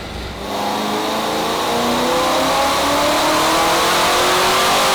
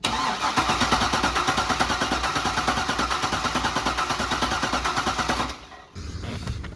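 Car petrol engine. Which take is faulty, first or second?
second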